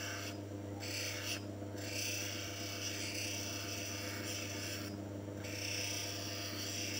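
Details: Manual lens faceting machine: continuous gritty rasp over a steady motor hum, briefly gapping when the lens lifts off the grinding stone; normal V-bevel pass on a rough-cut lens so it fits the frame.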